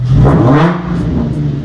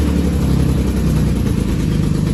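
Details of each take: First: Drift-car Z V6 after correcting two backwards-wired ignition coils, now firing on all six cylinders: engine blips up in a clean rising note and drops back to a smooth, even run with no stumble or miss, normal revving. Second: Drift car V6 (Project Seat Time Z) at first start after engine and transmission install: lumpy, choppy off-beat idle with stumbling revs. Two ignition coils were wired backwards, so it ran on four of six cylinders. Misfire.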